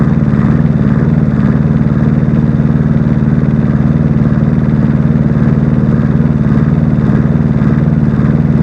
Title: Rough idle